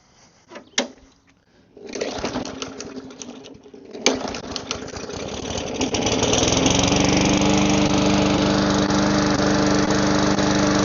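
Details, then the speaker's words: Small single-cylinder engine that sat a long time, carb cleaner sprayed into intake: coughs, catches on the spray and settles into steady idle; runs only on the spray, clogged carburetor suspected. "Needed a little boost. If I stop it and start it. So we'll go ahead, pull the carburetor apart, and we'll see what's clogged."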